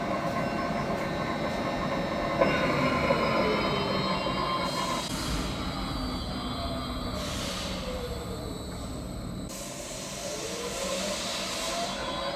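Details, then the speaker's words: Large new lathe at its first start-up, supply converted to 380 V, starting in the medium speed range and adjusted by inverter; it has no foot brake and slows via the motor. Steady hum with whining tones rising and falling with speed, no knocks: the spindle runs normally. "Một điều mà máy này không có là phanh chân để giảm tốc độ trục chính. Do kích thước của nó, nó sử dụng động cơ điện để tự giảm tốc."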